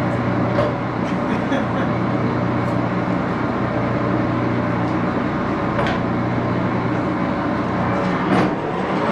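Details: Axelson 14x30" heavy-duty gear head lathe run through its speeds, headstock filled with AW68 hydraulic oil (about SAE 20, won't reach 1127 rpm); steady low gear drone, dense whirr, few light clicks; noisy but normal running.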